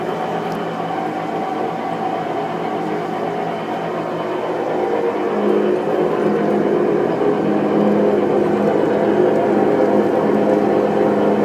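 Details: New Whirlpool Cabrio washer: continuous whirring rumble building heavier as drum speeds up, abnormally loud spin cycle; later fixed under warranty.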